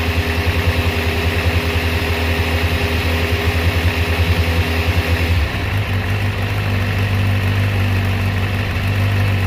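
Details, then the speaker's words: Kawasaki ZZR600/ZX6 on choke, warming up after a clogged fuel filter from a rusty tank was replaced: fast lumpy uneven idle dropping to a lower steady note; carburetors slightly out of sync, synchronization still to be done. "this is still slightly out of sync so we'll address all that i just want it to warm up slightly and then we'll come off the choke and i'll see exactly how much i have to do"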